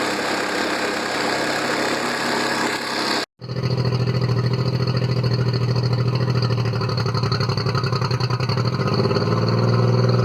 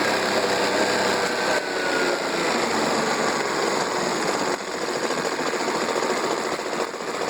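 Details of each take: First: Circa-1999 Mercury 40 hp four-stroke outboard, three carbs, previously rough-idling after sitting, after carb sync with CarbTune Pro: smooth, steady idle after a short cutout, even low pulse at a slightly high rate; running a lot better. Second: Mercury 40 hp 4-stroke outboard, about 1999, sat a lot, always idled rough, warmed up, carbtune gauge on three carbs: uneven lumpy idle with busy clatter and irregular pulsing; carburettors badly out of sync before adjustment.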